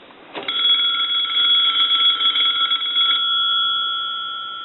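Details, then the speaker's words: Touch-tone brass Majesty telephone, bell enclosed inside the tall body: steady even ring about three seconds, muffled but clean, then dying away; ringer works, quiet because sound is trapped. "so when they're all screwed together you're not going to get a real loud ring out of these uh telephones because the Bell uh doesn't have any way for the sound to come out really so it's kind of Trapped"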